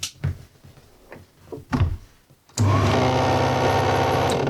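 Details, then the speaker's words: Old 8mm film projector being tested on the workbench, running forward: clicks, then a steady coarse whirring buzz, rough rather than clean; owner suspects a gear not meshing properly on the worm gear, possibly a snapped side. Runs fine in reverse. "So, we can hear it's making a funny noise. That could be due to one of the gears not spinning on the worm gear properly."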